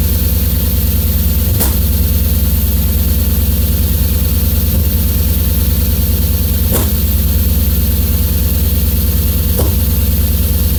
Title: S50 misfire warm